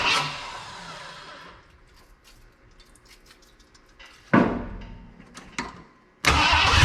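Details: 1979 Ford F250 4x4 Sno-Fighter parked since 1986, with a powertrain sitting since 2016, rigged start without a hooked-up fuel tank: V8 fires in short loud bursts and dies, catching again after pauses. Catches but won't keep running.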